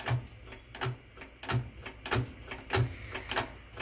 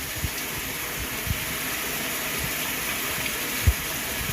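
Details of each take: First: Top-load Whirlpool washer with a very bad lid safety switch: dull regular clicks about 97 a minute with nothing spinning up behind them. The washer won't start, and the owner plans to take the switch apart or wire its two leads together. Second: Whirlpool washer filling with cold water on a small load: steady, uninterrupted rushing hiss of water into the tub. Normal fill.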